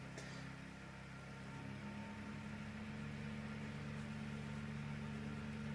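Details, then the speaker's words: Salvaged motor-fan from a destroyed room heater, run on AC through a variac above 150 V, short of its 220 V nominal, staying cool: a smooth, steady hum with even airflow hiss and no rubbing or bearing rumble. Motor running normally. "volts AC now I can actually hear the motor running the vibrations let's see how ways with heating if it is heating up no no it's actually cool"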